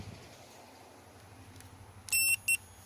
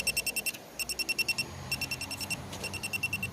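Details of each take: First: 2017 Chevy Malibu AC leak search, system at zero pressure: electronic leak detector just switched on gives slow sharp beeps in a quiet room; normal standby beep with no refrigerant sensed. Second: 2017 Chevy Malibu AC: electronic leak detector gives rapid high-pitched beep bursts with all LEDs lit when the AC service valve is depressed, detecting refrigerant at that valve.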